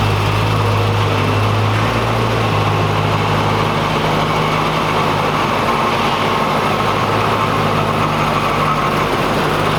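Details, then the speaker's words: 2011 BMW E90 M3 at first start after a VF Engineering supercharger install: steady even idle with a constant supercharger hum on top, settled and healthy; normal idle. "Instantly you can hear right away the supercharger just has this crazy sound to it."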